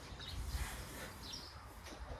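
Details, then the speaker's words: Electric fan after disassembly, oiling and reassembly to fix loud noise and weak spinning: runs quietly with soft low hum, no rattle or scraping, birds outside; normal quiet operation. "ก็จะหายไปนะครับเงียบ"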